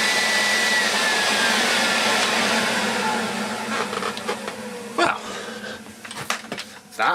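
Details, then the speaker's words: Free Miele Esprit S3111 vacuum, first power-on after being given away: smooth, even high-pitched motor whine, then winding down with handling knocks. Motor sounds healthy; no post-motor filter fitted, so air blasts out. "there that sounds beautiful even that works very well"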